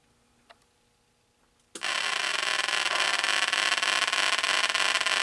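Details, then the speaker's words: 1980 Atari Battlezone arcade PCB set, on bench after new programmed bipolar ROM installed: silence then sudden loud steady hiss and rough static that never settles; sound circuit noise, suspected bad POKEY chip. "it looks great but it's making all kind of noise [Applause] [Music] to me that sounds like we have a bad pokey chip"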